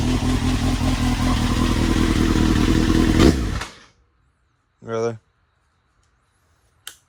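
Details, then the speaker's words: Honda CBR900RR Fireblade, 2002 (about 22 years old), four-cylinder motorcycle revived by basic cleaning after sitting for months: smooth, even idle with slight lopey cam note, then shut off; exhaust sounds mean; normal running. "you little she sounds pretty mean I like that exhaust that's on it"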